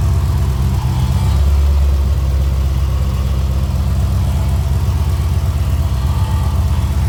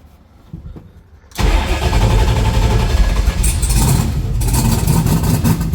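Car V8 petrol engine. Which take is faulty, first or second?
second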